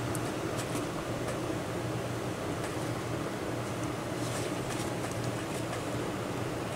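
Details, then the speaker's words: Wanhao Duplicator i3 / Monoprice Maker 3D printer cooling fan after repair, running at 12 volts: quiet steady hum with no buzz or rattle, slightly off balance; previously buzzed. "yeah it's it's really smooth now you can see it's a little off balance but remember before i kind of push it against the table and you can hear it buzzing not anymore and it's running excuse me it's running at 12 volts"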